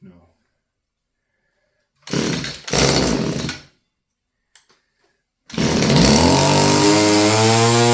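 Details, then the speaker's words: Stihl FS56 curved-shaft string trimmer, about 30 years old, two-stroke: brief burst, then a wavering, strained rev that won't climb cleanly. It has no high speed unless choked and won't hold idle; owner says it needs carb work. "I think the carburetor's going to be coming apart. Yeah. No high speed, unless you choke it. Yeah, needs carb work, eh?"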